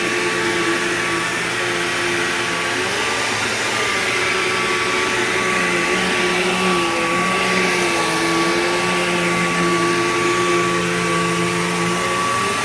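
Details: Bissell PowerGlide Platinum 3545-2 upright vacuum, acquired around 2018, running: over the usual motor roar a whine rises and falls in a slow wah. Owner calls the noise bizarre and does not know its cause.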